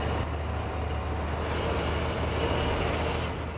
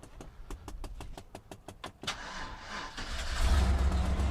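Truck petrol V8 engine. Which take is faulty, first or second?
second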